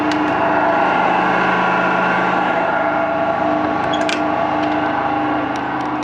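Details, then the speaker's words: Washing machine spinning: constant heavy roar with steady humming tones, no change in rhythm; owner says the drum bearings are severely gone and may fail any minute. "I don't know how he's still sleeping because the bearings on the washing machine are gone"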